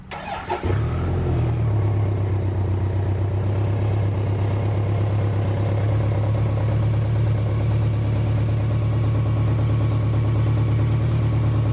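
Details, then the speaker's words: BMW K1200LT Icon project bike, fully sorted with new engine temperature sensor, being started for sale: quick crank, catches cleanly and holds a smooth steady low hum, no knocks, rattles or hunting; normal idle. "Here, I'll start up the motorcycle. You can hear it running. All the noises are very normal."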